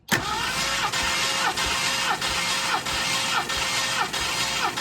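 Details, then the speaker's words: 1969 Mercury Cougar XR7 V8 compression test, cylinder 5 cranked with throttle held open. The starter cranks with an even, steady rise and fall about every two-thirds of a second. Reads 192 psi, healthy, while other cylinders read as low as 153. "Cylinder 5. Crank it. Okay. Wow. Holy moly. 192."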